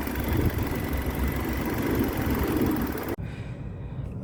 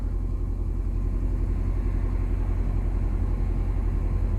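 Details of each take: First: 2005 Nissan Altima 4-cylinder with electronic throttle body, after a throttle body relearn fixed an idle surging between 2000 and 3000 rpm: steady, even idle rumble with no misses or stumbles for about three seconds; normal idle. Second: 2005 Nissan Altima 4-cylinder, cold after sitting about 3 days, left idling for about a minute during the throttle body relearn: steady deep rumble held at an elevated idle near 1500 rpm without hunting. Owner suspects the cold engine is the cause.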